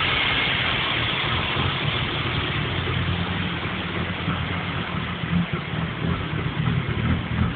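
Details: BMW 325 without VANOS at idle: steady idle with uneven, loping pulse and irregular dips in level; rough, unsteady idle.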